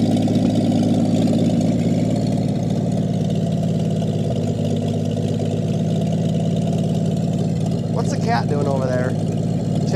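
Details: 1959 Chevy Biscayne parked for years in a salvage yard, fuel pump disconnected, idles steadily and very smoothly with no misses or knocks while burning off the fuel left in the leaking carburetor.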